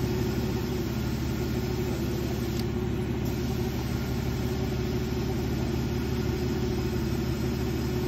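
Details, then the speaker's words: 2011 Jeep Liberty AC compressor converted to onboard air on a Jeep JK with a 3-gallon tank, engine idling while filling a tire from 10 to 25 psi: steady low hum and even belt-driven drone with no knocks or squeals; quiet, normal. "can hear the compressor kick on there it's pretty quiet that 3-gallon tank that I'm pretty sure that helps out quite a bit"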